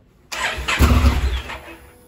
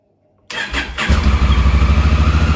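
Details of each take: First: 2017 Honda Africa Twin, 11,000 miles: engine fires and runs about a second, then dies; known fault of carbon in the start-stop switch causing contact arcing, before cleaning the switch. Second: 2017 Honda Africa Twin at 11,000 miles, started after the starter button switch fix for carbon arcing and start-then-stall: starter catches after a brief crank, then a steady deep twin-cylinder rumble for about six seconds; fixed.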